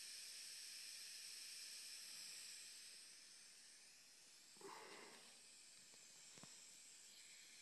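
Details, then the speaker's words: Electronic Autococker paintball marker, aired up and cocked at about 300 psi: steady high hiss with slight dips and clicks from the three-way once low pressure is adjusted, worsening as low pressure rises; O-rings replaced, leak source unfound. "as soon as I adjust the low pressure you can begin to hear the leak from the three-way"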